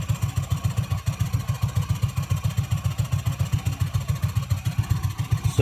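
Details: Yamaha Mio MXi scooter after repairing a wiring short where white and red wires touched (fuel pump, IC and ECU swapped earlier), now full-wave with regulator; even low putt-putt beats about four per second, steady clean idle after hard start.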